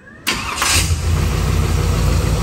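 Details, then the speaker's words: 1947 Hudson pickup with 350 small-block Chevy, new Holley carburetor, timing just set, at running temperature: catches almost instantly on first crank and settles into a steady, even idle; timing judged good. "I'm pretty happy with that I mean it busts right off so I'm going to call that good on timing"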